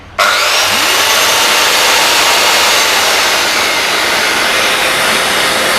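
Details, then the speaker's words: New Bosch GKS130 7-inch circular saw switched on with a vacuum on auto switch starting together: snaps on to a steady even high whir over the vacuum's rushing hiss, no rattle or labouring; healthy. "แล้วทีนี้เราก็เปลี่ยนเป็นสวิตช์ออโต้เพียงแค่นี้เองเดี๋ยวพาดูนะครับพอเราเปิดเครื่องก็จะทำงานพร้อมกันเลยดูนะครับ"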